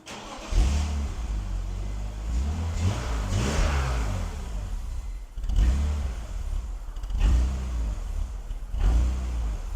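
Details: BMW E46 330i on a cold start: the idle rises and sags in a slow hunting rhythm about every two seconds, otherwise running pretty well. Unplugging the mass airflow sensor makes no change, and cleaning the idle air control valve is planned.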